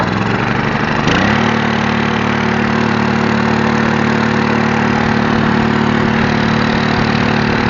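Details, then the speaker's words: iQ3500 generator with a no-spark fault, fixed by replacing a blown fuse with an inline fuse, oil changed; catches and holds a steady even speed, loud from exhaust blowing against a wall, no misses; normal running. "What I like about this thing too, it's a little loud in here, but it's because it's blowing exhaust right up against that wall. But it sounds good."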